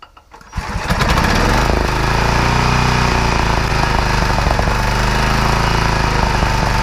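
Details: Free generator after repair, final test, started on choke with fuel on: engine catches after a short crank and settles within a second into a loud, steady, even drone with no misses; running fine.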